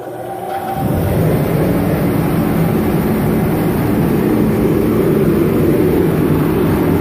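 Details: Dyna-Glo Delux 135,000 BTU diesel/kerosene forced-air heater, first start after unboxing with a freshly filled 10-gallon tank. The burner lights and the fan settles into a steady, even roar with no surging, rattles or sputtering. Normal running.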